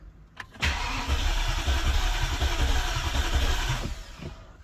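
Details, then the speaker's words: BMW E65 735i V8 on its first crank after an engine swap, with the fuel pump fuse removed. The starter turns it with an even, steady pulse of about four compression strokes a second; cranking sounds normal with good compression. "okay sounds normal we have compression we have everything okay that's a good sign"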